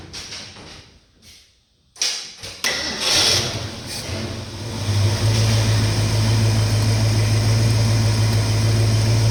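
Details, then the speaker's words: 1969 Mustang V8 with cleaned carburetor, full 13 V to coil and new engine parts: brief starter whir, then catches and settles into a smooth, even low idle with steady rumble. Normal idle, sounds better than before. "And but with all them new parts on that motor, I think it sounds a lot better than it did before."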